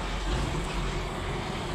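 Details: Diesel engine just refitted with a reconditioned injection pump and nozzles idles with a low, lumpy rumble, missing on two cylinders. It struggles to start and keeps shutting off, with loss of pulling power and knocking under load.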